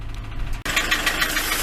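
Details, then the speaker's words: Transit van left standing unused for a long time, idled until warm at about 80°: fast even ticking knock over the diesel idle, keeping time with engine speed; source unknown. "right I've left it ticking over for ages now it's just up to about what 80° something like that I don't know but uh you can still clearly hear that ticking can't you that knocking so I don't know what it is"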